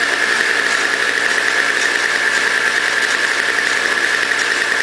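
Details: Toro CCR 2000 single-stage snow blower, 4.5 hp two-stroke, after cleaning; smoked from very old gas backed into the cylinder; warming up: steady even buzz, constant high pitch, no misses or knocks; normal running.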